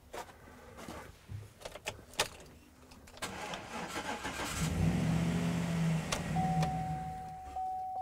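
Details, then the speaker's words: 2013 Chevrolet V8 pickup outdoors in winter, cold, started from a smaller-capacity jump starter: sluggish uneven cranking for about three seconds before the engine catches and runs; slow cranking from undersized jump pack. "so both units will actually start this pickup which is good but the huge difference that we're seeing between the two is how much they'll allow vehicle to crank and how fast they will crank"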